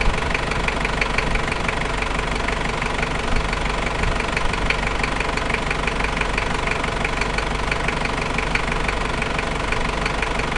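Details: New 1KZ-T diesel engine at idle: a sharp, fairly regular knock about four times a second rides over the clatter. Engine knocking at idle, source unknown.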